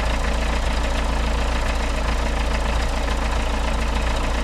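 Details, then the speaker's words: 1982 Isuzu I-Mark diesel running on a waste-vegetable-oil mix, roughly 149,700 miles. Just after a cold start with an extended glow-plug time, it holds a steady, even clatter of about three beats a second, unbroken: normal idle. "now we're going to crank it up from a cold start I usually let the glow plug run a little bit longer than normal she fires right"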